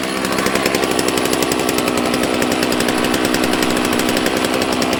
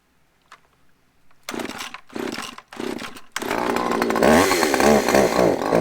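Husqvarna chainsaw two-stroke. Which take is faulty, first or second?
second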